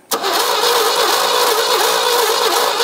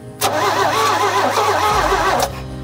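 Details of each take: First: Abandoned 1975 GMC Sierra Grande with a 250 ci straight-six, cranking on the starter at a steady churn but never firing; there is no spark through the distributor, so the distributor is to be opened up next. Crank, no start. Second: Abandoned 1975 GMC Sierra Grande with a 250 ci straight-six, after a faulty cable was fixed; the starter engages cleanly and turns the engine over for about two seconds without firing, with the carburetor still to be replaced and spark not yet sorted. Normal starter cranking.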